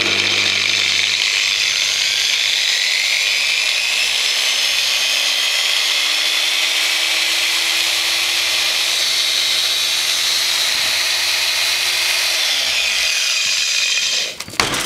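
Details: Variable-speed angle grinder reassembled after regreasing the gearbox, on test run: a smooth high whine that climbs and holds a steady pitch, no grinding or rattle; sounds better than before, normal running.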